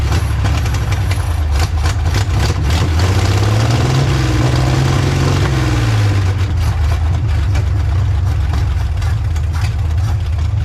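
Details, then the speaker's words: Old, tired, badly worn carbureted engine jump-started with a VTOMAN 2000A after priming the carburetor; catches, deep rumble swells then settles to a low, slightly ragged idle. Rough running worn engine. "certainly did the trick to get this old tired motor started up i mean this thing if you guys had seen the videos uh it's in pretty bad shape"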